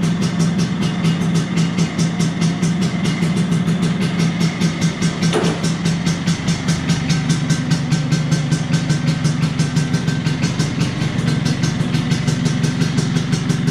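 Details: 1983 Vespa PX125E first start after total restoration, overhauled engine with new crankshaft, 177cc cylinder kit, new bearings and clutch discs: crisp even two-stroke popping at steady idle, no knocks, rattles or misses; healthy.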